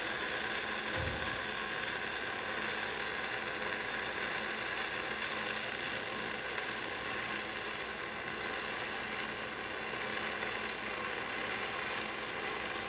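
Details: Gas-shielded flux-cored (FCAW-G) weld on a lap joint, contact tip to work 3/8–1/2 inch, clean nozzle: even, steady crackling sizzle with no pops or sputter; smooth, stable arc, slag peeling off on its own.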